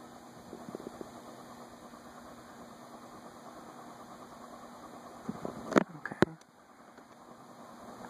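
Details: Envirofan Gold Line 36" industrial ceiling fan model 136F, 2012, reversible, running at medium-high on a custom four-speed control: quiet, even whoosh with faint steady low hum, no knocks or scraping; runs smoothly, normal.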